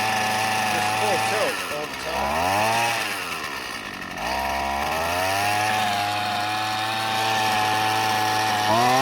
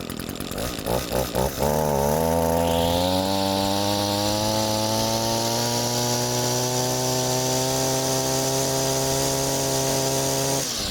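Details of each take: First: Husqvarna 128CD trimmer found curbside, first run attempts after fueling, pulled one-handed: revs wander with a soft blubbery burble and no clean top end; running rich. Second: Reference healthy two-stroke trimmer, unused about 3 months, cold with an empty carburetor, fuel bowl primed, choke open: a few uneven pops then steady clean idle rising to strong even high-speed rpm; normal.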